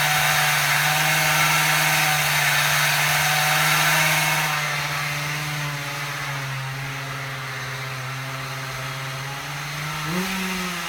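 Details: Husqvarna 36 two-stroke chainsaw after repair: it revs steadily high, then the pitch sags and hunts before picking back up, with the low-speed needle opened up a lot. The owner suspects it is running rich at low speed, unconfirmed.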